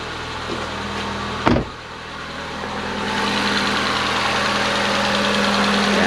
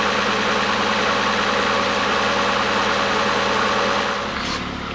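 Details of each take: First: Ford Fiesta 1.6L after head gasket replacement, first start with dry engine, fresh Motorcraft 5W20 and filter: light, fast valvetrain ticking at idle because the top end is still dry of oil. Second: Ford Fiesta 1.6L DOHC at its first start after a head gasket replacement for white smoke and coolant loss: an even, steady idle with no knock or miss. Early ticking came from a dry engine, it still smokes from before, and it is already running smooth.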